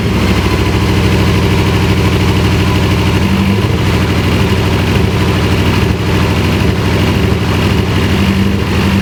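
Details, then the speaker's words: Dodge Caliber with coil wires cut and reconnected through a harness: lumpy, uneven idle with a stumbling beat; unplugging one coil left it running the same, so that cylinder seems dead; a wire harness issue is suspected, not confirmed. "Car was running the same when I unplugged this coil."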